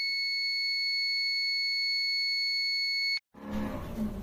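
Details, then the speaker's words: APC Back-UPS Pro 1500VA BX1500M after running about 6 hours, with a burning smell: loud continuous high-pitched beep for about three seconds, then cuts out; overheating alarm. "All right. So, power went out of my house and this unit is clicking, if you can hear. Um and there's magic smoke, so to speak, coming from the top every time it clicks. It's hot on the top."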